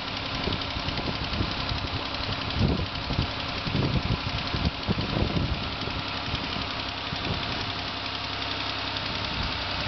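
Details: Newly bought 2005 Ford Escape idling with a steady, rapid engine knock riding over the running note; the dealer is expected to handle it.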